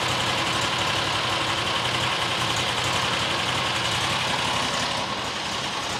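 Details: New John Deere XUV side-by-side after a new fuel filter; steady, even petrol idle with a busy hiss, no stumble or hunting; normal idle.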